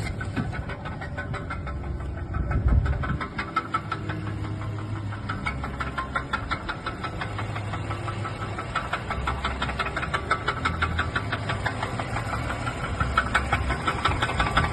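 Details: Mercedes A220 petrol engine idling with an uneven low knock, about three per second, under a steady hum; internal bottom-end knock ahead of a rebuild with new piston and connecting rod.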